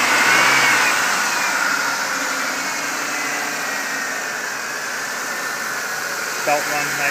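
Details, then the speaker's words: 2000 Chevy Impala LS at 101,000 miles, listened to under the hood during inspection: smooth even engine note with light belt hum, quiet, no abnormal noises; normal running. "here you can see the engine is it's quiet no abnormal noises really at this"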